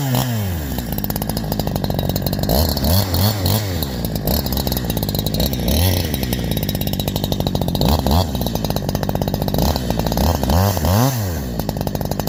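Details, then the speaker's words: Holzfforma G372 chainsaw with 24-inch bar, after replacing leaking crankshaft seals that kept it from tuning: screams high, holds revs steadily through each hemlock cut without bogging, drops back cleanly between cuts; normal running under load. "one one I'm going to call that fixed guys I'm going to call that fixed I know I called it fixed last time too"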